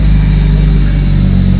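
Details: 2001 Lotus Elise (year as told), first start after loading modified file to fix no-start; catches promptly into steady strong idle with smooth rev blip, running clean.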